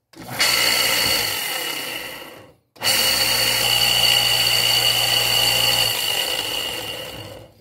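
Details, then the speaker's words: Jacto Clean J6200 pressure washer motor with the pistons removed. It starts with a harsh high rough whir, stops and restarts with the same coarse grating drone; the armature bearing is seized and must be replaced. "e dá para ver aqui pelo barulho que esse rolamento que tá aqui não tem mais condição de usar esse rolamento aqui tá totalmente é travado"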